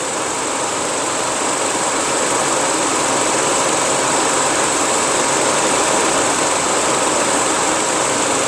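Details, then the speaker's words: Engine idling after a universal fan thermostat was installed, coolant at 93°C with the switch-on set around 90°C. A steady, even hiss of moving air with no rattle or wobble. Normal electric radiator fan operation. "So just pay attention. The fan will come up at any moment."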